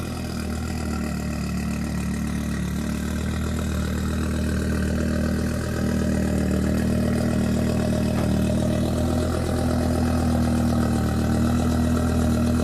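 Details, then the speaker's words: Audi RS3 idling with a light, fairly even top-end tick, about four a second; Hank suspects a rocker arm or something bouncing at the valve cover, not confirmed, and the head hasn't been opened. "hopefully it's just something in the head Hank thinks it's a rocker arm something bouncing around at the valve cover"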